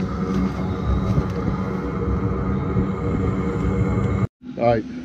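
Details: Chinese diesel heater in a 1981 GMC school bus, straight-pipe exhaust with muffler removed, first start after sitting all summer: steady low roar and rumble from burner and fan, holding even without sputter. Running cleanly after start-up.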